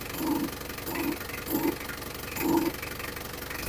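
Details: About 1995 Isuzu Panther 2.3 diesel after repair of the alternator vacuum pump feeding the brake booster: steady idle with an even, light clatter at a calm pace, no misses or knocks; running normally.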